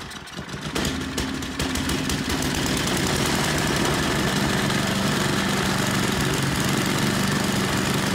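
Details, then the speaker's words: 8hp Tecumseh engine from a Noma snowblower after carburetor cleaning, started and run at full throttle: fires within a second and holds a steady, even single-cylinder beat with no misses or hunting; runs normally. "seems like she runs good we'll put her on the bench get the covers back on and then i think she's ready to go"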